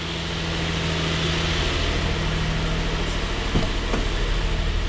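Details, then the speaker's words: Nissan Frontier with replacement 2005 VQ40 4.0 engine from an Xterra, first start after swap, no coolant, airbox loosely on, not in gear: smooth, even low hum at idle with no knocks, ticks or misses; normal idle. "Sounds good, not in gear."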